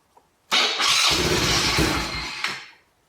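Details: 2020 Yamaha Grizzly 90cc ATV, choke off, parking brake on: few seconds of hissy cranking and sputter, never catches; lean no-start, suspected blockage deep in carburetor restricting fuel.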